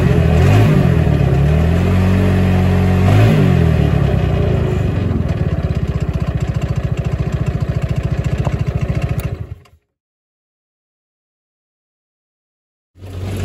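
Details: Hammerhead GTS 150 go-kart GY6 engine after a 155–160 big bore kit; it was smoky and down on power before, and is geared low. Steady single-cylinder buzz with sharp revs rising and falling cleanly, no misses, then shut off. Normal running.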